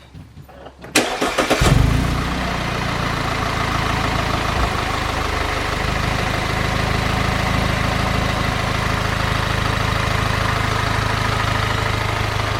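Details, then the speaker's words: Audi A4 B8.5 2.0T after new spark plugs and ignition coils, exhaust valve now installed: quick crank, catches cleanly and settles into a steady, even idle with no stumble or misfire; no check engine lights. Normal start and idle. "Make sure everything. Make sure it doesn't misfire. Yeah, it shouldn't misfire or anything."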